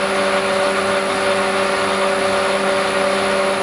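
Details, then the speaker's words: Lathe converted to a 3-phase motor on a VFD, just over 33 Hz, with Arduino RPM display; even steady hum with clean drive tones, no knocking, grinding or speed wobble. Loud only from mic auto-level; quieter than before. "The lathe sounds very loud on video. This is not really the case. It's an effect of the microphone being auto level setting."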